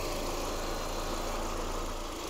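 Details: 2002 VW Passat that had a number four misfire and injector circuit code, running after plugs, coils, valve cover gasket and number four fuel injector were replaced: steady even low idle rumble, no misfire stumble.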